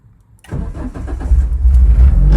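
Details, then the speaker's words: Renault Clio 172 Cup stripped track car, first start after about six to eight months stored under a cover, battery kept on trickle charger, fuel pump primed first: brief crank, catches at once into a steady even idle; normal healthy cold start. "oh yeah on the button again bless it what a car what a car"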